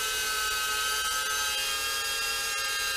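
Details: First test flight of a repaired FPV quad, camera swapped to RunCam Nano 2, likely on Betaflight 4.1: a steady high whine with several clean, even tones, no wobble or rattle. The motors sound healthy and the flight was very smooth.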